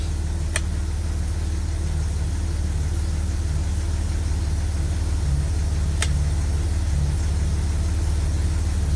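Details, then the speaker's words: Attempt to get reverse working again: engine at idle, warming toward 30°C before setting the final fluid level. Gears are cycled from first through neutral to drive, and two brief light clunks show the gears engaging normally. "hear it kind of clunk a little bit when I change each one. It's telling me it's doing something."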